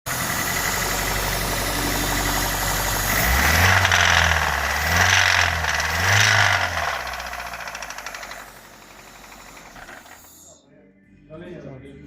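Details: Honda Fit L13A engine that ran with no oil: rapid metallic knocking about two per second over the running engine, fading as it shuts down; oil-starvation bearing knock.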